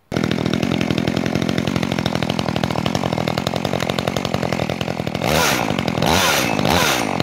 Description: Prima pornire si rodaj la motofierastraul drujba Makita EA3200S.